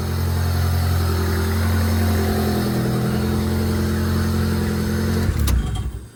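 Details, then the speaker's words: Honda Del Sol with freshly built turbo D16Z6, filter mounted straight on throttle body: uneven, lumpy idle for about five seconds then dies abruptly; owner suspects the intake is making it run rich, cause not confirmed. "Okay, I got the stock intake on because I think that might be messing with how rich the fuel is running. Uh because realistically it should be running really lean, not really rich."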